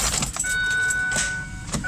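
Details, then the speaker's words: Saturn Vue Redline 3.6L: turning the key gives a few sharp clicks from the starter with no cranking while the lights work. It eventually started, but the owner believes the starter is going bad. "you hear it clicking it's got all the bills and whistles even the lights are working"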